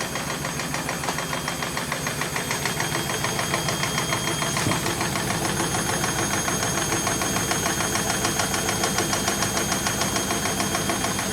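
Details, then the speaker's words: German washing machine spinning up after repaired dampers were fitted, with the cushions removed, on four feet. The drum precession begins: a hard rhythmic thump a bit over twice a second over a steady motor whir, heavy shaking, possibly critical. "Смотрим прецессию. Вот ее начало колбасить. Колбасит."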